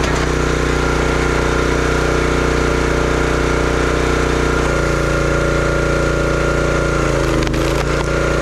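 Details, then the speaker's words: Brute 30-ton log splitter, Briggs & Stratton engine (9.5 ft-lb gross torque, roughly 5–6 hp), brought in as a no-start: loud, steady single-cylinder drone holding speed while splitting wood, brief dip near the end; runs strong, though it seemed short on power. "Well, it seemed to run good."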